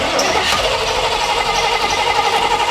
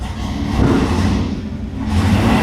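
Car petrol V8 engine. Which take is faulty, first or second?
first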